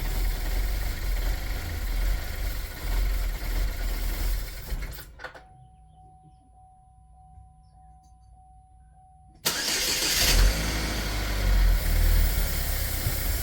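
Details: 2010 Chevy Equinox, about 112K miles, burning oil with heavy blow-by, during a Seafoam ring-cleaning treatment: engine catches then runs with a lumpy, uneven idle, struggling to settle; owner suspects it sees no airflow.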